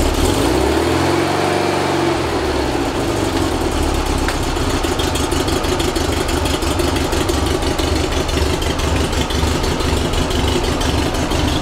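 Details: Rebuilt 1835cc air-cooled VW flat-four bus engine with vintage speed muffler, first start after rebuild, not yet tuned: catches after a brief crank and settles to a steady, even idle with regular beat, no knocks; ran with no real problems.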